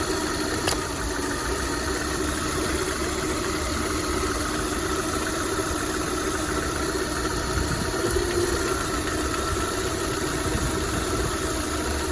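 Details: VAZ 21124 engine at idle: steady idle with a faint, even tapping riding over the engine note; an internal engine knock, cause not pinned down.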